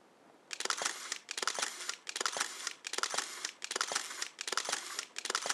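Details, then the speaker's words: Rollei Magazin 70 motorized 70mm film back on a Rolleiflex 6000-series camera, set to continuous: crisp whirring wind bursts about every 0.8 seconds, even rhythm; normal operation. "When it runs out of film, it detects that and the red light lights up and you hear it wind for that extra period of time."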